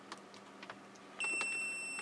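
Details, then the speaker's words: Old linear 12 V wall-wart power supply bench-tested with a roughly 10-ohm adjustable power resistor load for ripple checking: a thin, steady high-pitched squeal at the upper limit of hearing, source unknown. "and you can hear this thing squealing it's just beyond my ear range"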